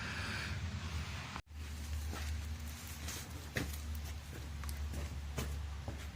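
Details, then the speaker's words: 2015 Cadillac ATS 2.5 started and put in drive: a low, steady droning roar from the badly worn rear differential, which sounds like a wheel bearing but isn't. The differential is being replaced. "i'm gonna start it up put it in drive and let you hear but it's it's roaring it's worn pretty bad"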